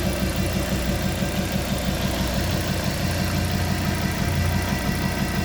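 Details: Fiat Coupé 20v Turbo at warm idle: strange quick, uneven tapping over the low drone, roughly three beats a second; source unclear.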